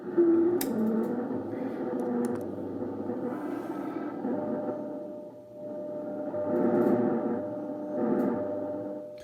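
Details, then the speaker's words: Ten Tec Paragon 2 receiver tuned near WWV 15 MHz, volume down: steady hum with faint ticking step pattern about 100 Hz and wavering tones; owner suspects PLL noise or audio ground loop, unconfirmed. "I turn the volume down, you could hear it still stepping in 10 kilohertz, or I'm sorry, probably like 100 hertz here."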